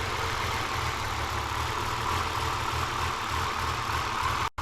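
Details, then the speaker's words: Rebuilt RB30 engine in a Z32 300ZX on first start with Haltech management, after earlier bad noises: smooth, even idle with steady low rumble and airy hiss, no knocking or rattle; sounds healthy and quiet. "now it's sounding good that's sick it's actually hell quiet"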